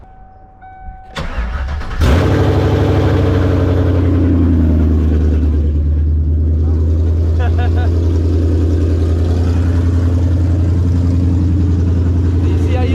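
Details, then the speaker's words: Coyote Gen 2 truck engine swapped into an SN95 Mustang with Magnaflow mufflers on a temporary tune: a brief crank, then it starts straight away and settles into a steady, even V8 idle with no misses or knocks. "once the car warms up just like that man starts right up like it's original motor"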